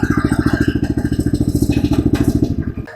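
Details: DK2 18-inch gas trencher, single-cylinder engine just started with the choke disengaged: crisp, even firing at a steady fast beat with no stumbles or knocks; normal running, ready to dig.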